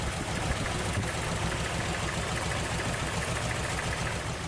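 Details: Toyota Corolla DX four-cylinder with a lumpy, uneven idle and an irregular stumble a few times a second, plus heavy vibration. Spark plug wires were tested and found okay.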